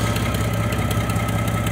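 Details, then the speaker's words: 1995 Mercury Villager, engine misfires once warm, car raised and heard from underneath while checking the oxygen sensor: steady low idle with faint rhythmic puffing ticks keeping time with the engine; exhaust leak. "además de que trae una fuga en el escape se escuchan"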